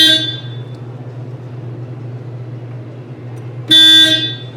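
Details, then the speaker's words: 1961 VW Beetle during wiring-harness troubleshooting: two loud steady horn blasts, short then longer, with no button pressed. Something is grounding the steering column, and the horn is found to have no spring. "We got the, I have the dreaded, something's grounding out now. Horn, just unplug. That steering column is being grounded by something."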